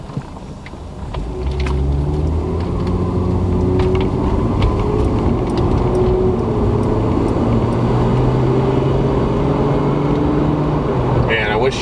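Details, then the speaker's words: Lexus IS300 2JZ automatic with a CX Racing turbo kit on EMU Black, about 1–2 psi boost, under throttle: a steady drone with a loud whoosh and flutter. Normal wastegate noise. "you know at least in maybe third year or something what uh it sounds like the wastegate is so loud"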